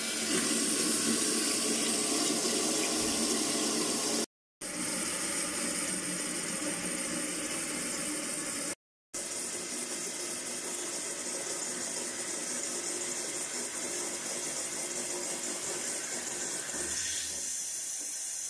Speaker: Evet şu an için tamamen suyumuzu kesti Evet az önce ilk anda gördüğümüz gibi su sızıntısı Şu an için yok arkadaşlar suyumuz tamamen doldu şamandıramız kendini çekti